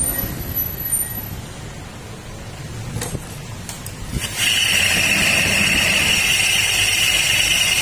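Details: Honda Click 125 scooter CVT: quiet at first, then a loud, constant high metallic grinding once it runs, like metal being crushed, holding steady; noisy grinding CVT.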